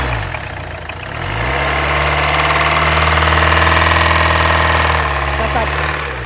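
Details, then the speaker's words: Mercedes GLA towed in, engine with no oil at all, oil refilled before start: sharp, regular knock about four per second at idle from deep inside the engine; mechanic rules out an injector. "tape les amis ça tape donc vous avez vu comment ça tape donc pour moi c'est pas un injecteur"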